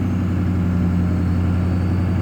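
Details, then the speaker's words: 2006 Ford F250 Super Duty 6.0 Power Stroke diesel idling lumpy after a hard restart, check engine light on; heavy uneven drone, running very rough; fuel pressure checked and FICM 48 V OK, cause unknown. "so here we go again running very rough but we just went and saw the fuel pressure"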